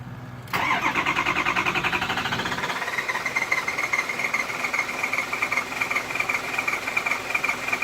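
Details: 6.0 Powerstroke diesel, 112,000 miles, shut down on the highway; fuel pump replaced: steady chugging crank about two and a half per second, never starts, as if starving for fuel; failed high-pressure oil pump.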